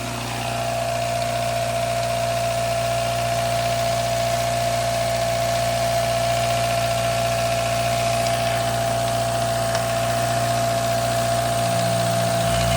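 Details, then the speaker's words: Daihatsu Mira engine at warm idle after adding Prolube oil treatment for cold-start lifter ticking: steady low drone, faint whistle, ticking subdued; quieter, but owner doubts it proves the additive works. Slight blow-by suspected. "It is quieter, but it's not a real indication of that stuff working."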